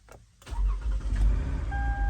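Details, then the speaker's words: 2011 Toyota Highlander towed in no start/no crank: with the LIN bus shorted to positive to force the faulty ID code box to act, a brief starter whir, engine catches and settles into steady even idle, door chime in background; normal start. "vehicle cranks up runs right"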